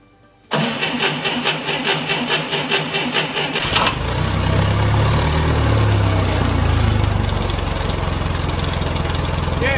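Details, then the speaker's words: 1990 Ford Thunderbird Super Coupe, stored four years with a non-crank fault fixed by a new battery (old one frozen): steady cranking for about three seconds, then it catches cleanly and settles into an even idle; normal start. "we're up and running success we've uh figured out what was wrong put a battery in it"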